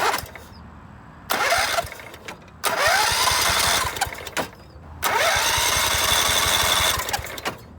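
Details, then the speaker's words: Scotts by John Deere riding mower with 16 hp Kohler Command engine, loose engine mounts, fuel smell: three bursts of steady cranking, none firing; no spark, coil ground wire disconnected to test, worn coil wiring found. "I'm going to disconnect the ground off of the coil to see if we start getting spark cuz whatever this used to be attached to is no longer nothing grounded the coil"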